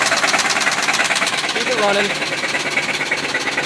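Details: Worn-out original 1973 Chevy C30 numbers-matching 365hp LS5 454 big block, run low on oil by previous owner: hard regular knock about three times a second at idle, typical rod knock.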